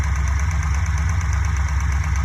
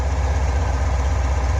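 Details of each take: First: Fuel-injected Corvette V8 at idle with a modified cut valve cover fitted: light steady ticking about three per second; tick traced to cylinder three, suspected excess exhaust valve lash. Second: Fuel-injected Corvette V8 after the valve lash was readjusted on the suspect rocker and its lock nut tightened: a deep, even idle with no clacking. The valvetrain now sounds quiet and healthy.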